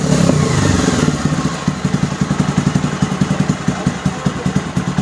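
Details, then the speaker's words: Bajaj Pulsar 220F after recent full engine rebuild that failed, exhaust at rear: starts properly, short rev then steady even single-cylinder idle with no knock or blow-by at the head. "और start करते हैं तो proper तरीके से start हो रही है bye थोड़ा रेस लेंगे मैं रेस करूंगा"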